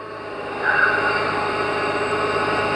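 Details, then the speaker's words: 2006 Mercedes C350 4Matic, 3.5-litre, W203 chassis, at start-up: steady high-pitched whine over the idle at constant pitch, with a little smoke on start; power steering pump whine. "here we're going to go ahead and start it and you can hear you can hear that power steering pump whine a little bit and she popped a little bit of smoke but I'm not concerned about that either"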